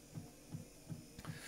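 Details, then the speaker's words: 1959 Clarion transistor portable reel-to-reel tape recorder in need of a service: a soft low knock about three times a second over a faint motor hum; owner guesses the motor is riding over a rough spot on the wheel where it sat parked for years. "the knocking is the motor going over a rough bit on the wheel underneath i'm guessing where the um motor had been left parked"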